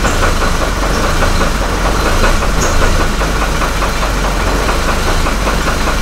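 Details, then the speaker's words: Copart Hummer H3 with suspected rod bearing problem and stalling issue, check engine light off; low lumpy idle hunting between about 500 and 600 rpm, heavy thumping with a knock beneath, shaking as if about to stall; owner suspects fuel supply problem. "it's just pumping back and forth between about 500 and 600 it's almost like it's a fuel supply problem what it sounds like"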